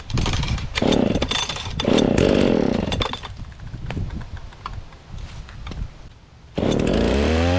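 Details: Dolmar 112 chainsaw with freshly sharpened chain, started cold and cutting wood under load: crisp high revs dipping evenly into cuts and recovering quickly; healthy running, cuts well.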